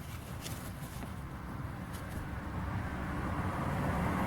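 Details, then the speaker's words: Ford Fusion cabin while driving after the fix: steady low road rumble, no knocks; the rear rattle came from the hollow plastic wheel-arch cover, cured by gluing 7 cm pads with waterproof sealant, also behind the seatbelt buckle. "шум полностью пропал чего и вам желаю всем удач на дорогах"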